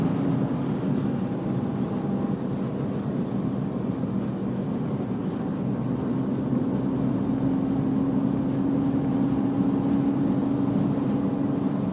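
A steady mid-pitched whine rides over the engine drone and climbs a little as revs rise; the source isn't pinned down.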